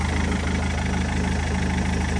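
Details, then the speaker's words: Rover 75 diesel (TD4/M47) after crank pulley replacement: steady, even diesel clatter at idle with a smooth low rumble and no knocks or misses; owner thinks it sounds normal. "but yeah this is quite nice to see it running so I'm gonna just let her for a bit does that sound normal to you to me it sounds normal"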